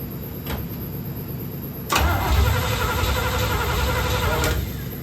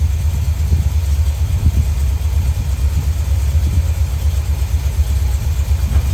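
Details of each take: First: 1972 Corvette C3 small-block Chevy, first start after rebuild: starter spins the engine evenly about four turns a second but it never fires; no fuel reaching the carburetor, though cranking began pumping gas from the tank. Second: 1972 Corvette C3 small-block V8 after rebuild, idling after flooded carburetor and intake were dried out and base timing and dwell set: steady, even low rumble with a smooth regular beat, no misses or knocks; healthy idle.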